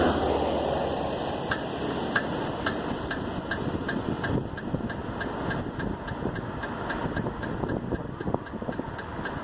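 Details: Rhythmic ticking, about four evenly spaced ticks per second, from the rear driver's side wheel of a 1999 Toyota Avalon over a quiet idle, heard after two new rear tires were mounted; suspected brake noise, cause unclear.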